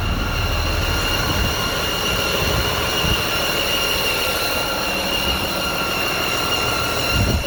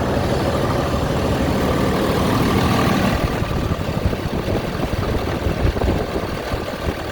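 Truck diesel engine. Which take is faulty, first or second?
first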